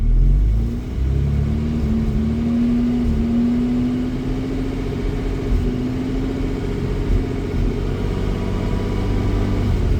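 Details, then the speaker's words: 1987 Jaguar XJ-S 3.6 manual after about a 1-hour test drive: slowly raising revs from 1000 to 2000 rpm it stumbles and misfires, hesitating under load; occasional misfire above 2000, fine at 3000. "Okay, so that's interesting. If I try to slowly increase the revs from 1k to 2k, it really struggles as I increase the demand."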